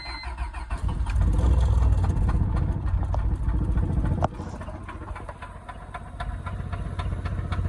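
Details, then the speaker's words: Turbo Honda EM1 with full exhaust cranks, catches and idles roughly with a deep steady knock about four per second; the engine has lost compression and has rod knock. "yep see lost compression and has rod knock now so that sucks"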